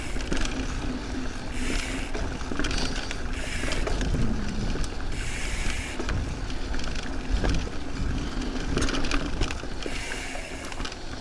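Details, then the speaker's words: Carbon mountain bike on the trail: irregular light clattering and slapping over tyre noise, jumping with each bump. Loose internal cables are rattling against the inside of the frame. "but it's definitely the sound of the cables rattling against the it is then the cables are sitting in the U and it'll probably be quiet but I won't really know until I g"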